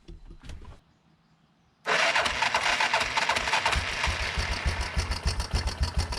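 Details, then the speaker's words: 1987 Yamaha Big Bear 350 4x4 single, first start after ignition repair and fresh 10W-40: rough idle with fast uneven top-end ticking, three or four a second, clutch spinning down; owner suspects valves smacking, later suspects stretched timing chain. "so i can hear the centrifugal clutch on the other side spin down there's ticking going on up here could be valves smacking i don't know"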